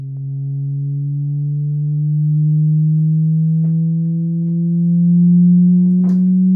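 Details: Samsung HW-Q800A soundbar, connected via HDMI to an Insignia Roku TV and set on a bed to rule out nearby sources, gives a steady low hum drifting slightly up in pitch with faint clicks; the buzzing comes from the soundbar itself.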